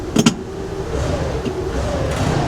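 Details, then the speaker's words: Hyundai Tiburon after a transmission fix, cold start after a couple of pedal pumps: a few clicks, then the engine catches and settles into a steady, even rumble with no knocks or rattles, sounding good; a normal cold start. "listen to that she sounds so good she sounds so good"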